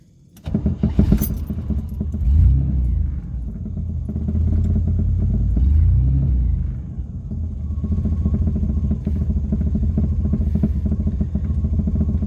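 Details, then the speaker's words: 1978 Pontiac Sunbird Formula with odd-fire 231 V6, parked about 10 years, first start; catches, revs twice, settles into low, lumpy, loping idle like a big cam, not stalling; knocking is just the exhaust; normal odd-fire idle. "the OD fire 231 can never tell if it's going to stall or if it's just like goinging sounds like a motor with a big cam the knocking is just the exhaust just clock"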